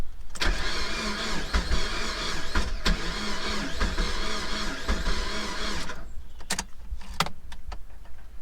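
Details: Mazda MX5 with water in the fuel tank, full battery, plug leads repaired, quarter tank, fuel pump not clearly heard running: starter churns steadily about five seconds without firing; cranks but won't start, fuel problem suspected.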